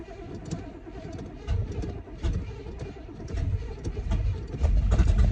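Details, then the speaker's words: Cheap C4 Corvette with a very loud exhaust: slow, ragged cranking with uneven stumbling that only catches with the foot to the floor, its hardest start so far. Flooded V8. "As soon as I give it gas, it's not. All right. So that was the hardest start this thing has ever had."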